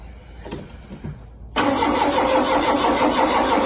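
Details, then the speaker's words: Ford Mk2 Capri 2.0 GT Pinto engine, unrun for many years, with a newly fitted distributor. The starter spins the engine with a steady churning whir but it never fires. A spark check shows no spark; cranking no-start with no ignition spark. "okay no spark so the ignition seems to be working as it usually [Laughter] does"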